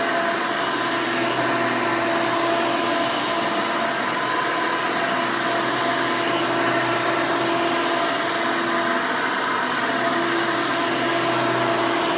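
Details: 1992 Hoover Elite II Total System Performance 650 U4689-910 upright vacuum, motor untouched since purchase: loud, steady roar with even high whine, no surging, rattles or grinding; owner says it runs nice and smooth, normal running.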